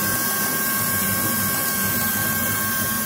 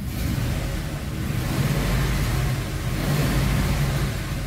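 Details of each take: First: Rough V8 idle on a Ford F-250 that misfires and shakes, hood open: steady high-pitched hiss like a pressure cooker, air sucking through a leak near cylinders 5–8; vacuum leak found, to be traced by spraying carb cleaner. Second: Ford F-250 V8 after repair (too-short adapted spark plug cable suspected of weak spark), codes being cleared: deep steady roar rising and holding with revs, no stumble or skipping beat, firing clean on all cylinders; healthy revving.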